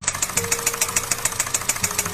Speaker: Enjin knocking bunyi macam